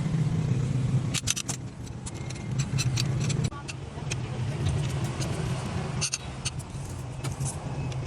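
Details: 2005 Ford Escape that won't start: the starter turns the engine over in uneven bursts amid key clicks but never fires; cranks without starting. A faulty valve in the combustion chamber is suspected, not confirmed.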